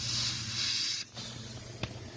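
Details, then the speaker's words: Condensing unit circuit just charged with refrigerant: sharp steady hiss of gas escaping under pressure over the low hum of the unit, leak found at the back of the circuit; refrigerant leak. "soon as I put refrigerant into this system, it started spewing out from somewhere. I can hear it, just can't seem to see it. Or oh yeah, it's back here. There it is. That is messy."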